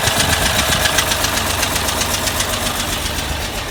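A sharp, even tick at about four per second rides over the idle. It sounds like pushrods set with too much lash.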